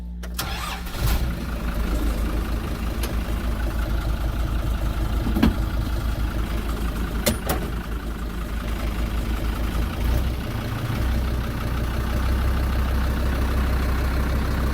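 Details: Kubota M120 diesel tractor, rebuilt after a fire burned the wiring harness, just after swapping the computer: cranks briefly, catches, settles into a steady even low chug with no misses or knocks; normal start and run.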